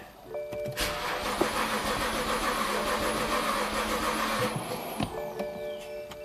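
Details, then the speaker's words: 2009 BMW 328i that stopped running after a dealer valve cover gasket job; fuel pump and driver module already replaced: starter spins evenly for over four seconds but the engine never fires; pump drawing 4.3 amps. "all right still crank no start and our fuel pump is definitely running at 4.3 amps"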